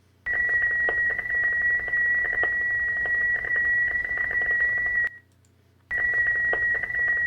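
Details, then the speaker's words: Yaesu FT-710 transmitting FT8 from a Raspberry Pi at 48 kHz instead of its native 44.1 kHz: a steady tone riddled with pops and crackle, distorting the signal. This was not seen with a PC; the fix is setting the Pi to 44.1 kHz. "So, uh this is an FT8 signal, and it's mostly there, but you can hear it popping and cracking in the background."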